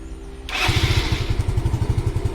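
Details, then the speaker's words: Yamaha Fino scooter that gave no response to the electric start, battery at 12 V engine off after a ride: a brief crank catches on the first press and settles into a steady even idle, charging about 13 V. Normal electric start. "สตาร์ทใหม่ครั้งเดียวติดนะครับส่วนบน13บนครับก็เริ่มมีการชัดครับ"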